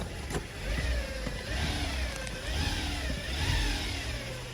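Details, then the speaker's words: 2010 Chevy Traverse after cleaning the power steering reservoir, engine running with revs blipped: thin whine rising and falling in pitch, quieter than before but still present; steering works fine. Power steering pump whine suspected. "Not as loud as it was. Got quiet pretty quick. Feel you can hear some of the whining."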